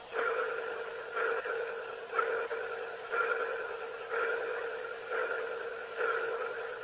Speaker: Butch that one came through it was kind of like a pulsing noise almost like a sonar ping